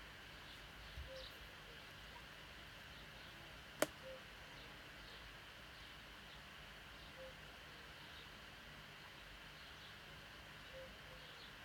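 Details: MacBook 2016 pressed at left corner near the upper hinge after warm-up and cool-down; one sharp dry pop, flexing-case click of unknown cause.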